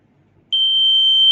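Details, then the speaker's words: Buzzer rated about 3 to 24 V powered from a 3 V battery: steady, clean high-pitched tone starts abruptly and holds evenly; buzzer works fine. "As you can see from here, the buzzer is around 3 volt to 24 volt, and this battery is 3 volt, so you can hear the sound."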